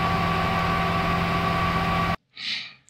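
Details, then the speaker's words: ASRock DeskMini X300 with AMD CPU under stress, stock cooler fan replaced by a quieter Noctua: even, steady whir with a faint low hum, audible but not annoying, sounding healthy. "so I switched the fan I installed a noctuar which is a little bit lower in noise but if you stress the CPU you will hear it but it's not as annoying"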